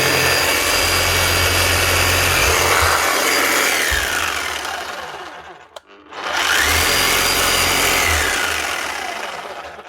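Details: Bosch GBH 8-45 D rotary hammer after cheap repair of failed needle bearing and fan: loud rough grinding whir with regular rattle about four per second, dying on shutdown and returning on restart; worn gears and motor, still working.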